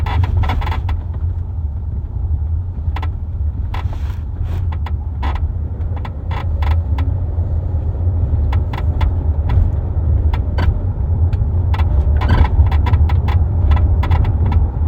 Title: 2023 Kia Telluride creaking noise - trunk area